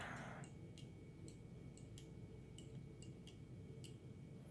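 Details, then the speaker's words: New micro switch fitted into a replacement trunk latch for a 2000 VW Jetta mk4 and tested on the bench: sharp, light clicks at irregular intervals, about eight in five seconds; the switch actuates normally and the latch closes. "That is the micro switch switching. And if I release the spring, yes, this closes."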